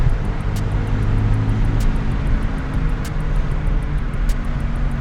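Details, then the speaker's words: 2000 Toyota Celica GT manual, driving at speed after new ball joints and lower control arms, alignment still needed: steady low droning hum under the road noise, described as really loud. Wheel bearing noise. "Oh, yeah, I hear that wheel bearing. Yeah, it's really loud."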